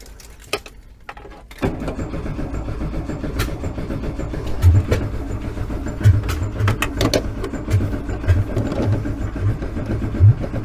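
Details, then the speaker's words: VW 1303S Beetle, freshly rebuilt 1915cc engine, first start attempt after install: starter cranks steadily nine seconds with uneven puffs and pops, never catches; ignition timing far out, owner suspects wrong firing order. "why do i get the distinct impression i have the firing order wrong i need to check that"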